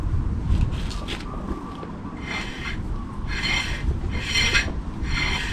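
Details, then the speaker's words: 2009 Toyota RAV4 2.5L automatic: harsh rasping scrape in bursts about once a second with the wheel turning, brake grinding traced to driver's side rear, suspected pads grinding on inside of rotor; pads and rotors to be replaced. "Vehicle came in, brakes are grinding. I checked the brakes out and it sounds like it's coming from the driver's side rear."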